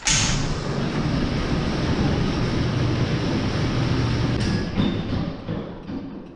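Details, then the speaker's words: New Holland T8020 tractor, Cummins 8.3 L diesel, first start after installing new Bosch injectors: settles right after firing into an even steady idle clatter, no misses or hunting; not yet tested under load. "it starts so that's a good sign now we'll just have to try it out under load"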